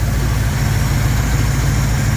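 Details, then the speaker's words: Jeep J10 engine at idle after exhaust repair, steady even low rumble with soft intake suction noise; no exhaust leaks or ticking anymore, though the engine still vibrates, less once warm or with a slightly higher idle. Normal idle. "you can hear the engine it sounds beautiful listen to this [Music] see there's no exhaust leaks anymore no more ticking"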